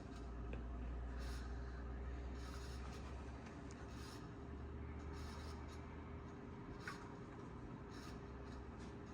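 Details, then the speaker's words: 1992 Sears Roebuck 42-inch Hugger ceiling fan, model 689 11438, running on medium speed (0.3 amps), faster than low; steady motor hum under dry scratchy rubbing pulsing as it turns; badly worn bearings, oiling likely won't fix. "As you can see, it goes significantly faster on medium. These bearings are so bad."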